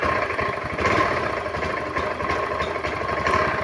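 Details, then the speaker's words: Honda automatic scooter, hard to start and stumbling badly once running. Lumpy idle with irregular dips and surges. Faulty EOT (oil temperature) sensor blamed; fixed later by replacing the sensor with a bolt. Before the fix: idle stumble. "Ini motor hidupnya susah setelah hidup jugab Parah"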